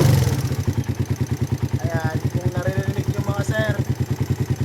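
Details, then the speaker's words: Motorcycle engine with over 66,000 on the clock, after loss of compression, earlier suspected of a connecting rod fault: loud, regular clatter at idle; mechanic believes it is a top-end (head) noise, not the connecting rod, and will open it up to confirm. "Ayan, ibang tunog ng connecting rod kaysa dito. Malaki dito oh. Tingin ko sa head lang talaga to."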